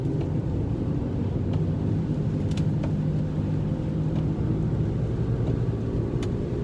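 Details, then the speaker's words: Car driving on wet road: steady, deep growl rumbling underneath, louder with speed and still present when slowing; suspected worn wheel bearing, not confirmed. "when a wheel bearing is bad that's what you hear one second it's ugly day today very rainy that's a that's the sound"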